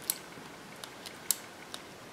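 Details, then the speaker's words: Replacement EGR solenoid (normally open) for a 305 TPI Camaro, bench-tested with a 9 V battery: sharp single clicks as power is applied, showing the solenoid actuates normally. "just so you can see that this works works you can hear it click when I put 9 volts on it so I'm actuating that solenoid"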